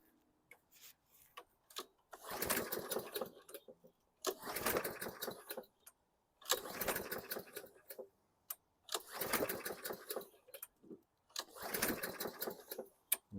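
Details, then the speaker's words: 2014 Bolens 21" mower, Briggs & Stratton 500E 140cc, primed, brake cable squeezed further: about five pull-cord cranks, brief compression rattle, no firing. Cranks, no start; plug afterward found dry, owner suspects valves or brake cable. "I thought I had it licked and surprisingly it's not doing anything"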